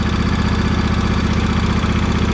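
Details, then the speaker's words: John Deere 100 Series small engine warm at idle after valve adjustment (valves found tight, not loose): fast, even tick riding on its low thrum; source not pinned down, owner now doubts valves. "but that ticking i guess yours sounds like this i i don't know i guess they all sound like this but uh whatever's sticking it ain't the valve now it's got some heat in it [Music] yeah man she's ticking to beat the"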